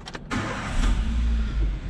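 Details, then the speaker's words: 2021 Chevrolet Beat that would not start or lost power due to a failing fuel pump, after repair: brief crank, then catches cleanly into a steady low rumble with no stumbling or misfire; normal start. "Recuerden que este vehículo no prendía la máquina se oye sumamente estable"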